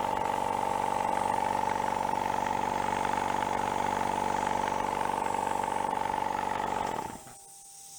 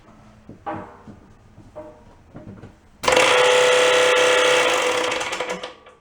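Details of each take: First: Used factory air compressor after repair of a bad rod knock with spare parts: strong, even chugging at about four beats a second over a steady hum, with no smoke and no more oil pushing out the breather; it runs normally. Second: Electric air compressor of unknown history from a long-empty factory, thought to have run nonstop into an air leak: after a few clicks it bursts into loud, harsh clattering with a fast heavy knock. Bad rod knock.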